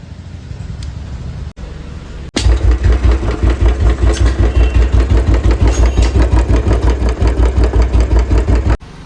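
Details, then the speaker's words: Royal Enfield Bullet 350 Standard, head recently worked on: after the kick, heavy regular thumping about three per second, valve train knock because valves rock heavily in badly worn guides, which many mechanics miss. "आपने sound सुना ही था कैसी धड़क रही थी ड़ जैसे पता नहीं क्या हो गया अधिक मैकेनिकों को समझ नहीं आती कि इसके अंदर क्या प्रॉब्लम है वो थी गाइड की प्रॉब्लम क्योंकि गाइड के जो वल थे ना बहुत ज्यादा य हिल रहे थे बहुत ज्यादा हिलने की वजह से इसके अंदर साउंड आ रही थी बहुत ज्यादा"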